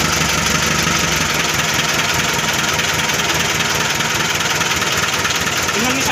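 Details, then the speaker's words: Mitsubishi Colt Diesel FE 1981 truck, new 100PS block replacing original, after bleeding air from diesel: engine caught and idles steadily with even clatter, no stumbling; sound described as smooth while checking water and fuel hoses for leaks. "udah mau hidup dan kita cek Apakah ada selang air yang bocor ataupun Slank dan solar yang bocor ya suaranya halus"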